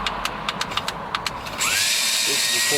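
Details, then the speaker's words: MerCruiser ski boat with 4.3 V6 truck engine swap, trim powered from a hooked-up battery with a loose connection: sharp clicks then small electric motor whine to steady high hum, trim going down; normal trim motor operation. "but i did hook a battery up and the trim does work you can hear it uh well got a loose connection got a loose connection all right that's actually the trim going down"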